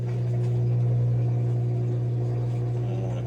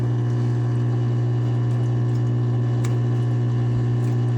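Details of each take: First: Whirlpool washer WFW75HEFW0 after the F3E1 slow-drain repair, drain pump tested with the machine open: strong steady hum with water rushing. It is now draining properly; it should empty in about 3 seconds but had been taking 5 minutes. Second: Whirlpool front-load washer WFW75HEFW0 showing an F3E1 error, run on drain and spin: steady low pump hum with water trickling and gurgling but no strong flow. The pump runs but drains slowly, leaving water in the tub.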